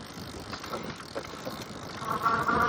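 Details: Lectric XP 4.0 folding e-bike while riding: a tinny, metallic vibration buzz at a steady mid pitch, loud at 10 mph and stopping at 11 mph. It is speed-related only, and the source is unknown.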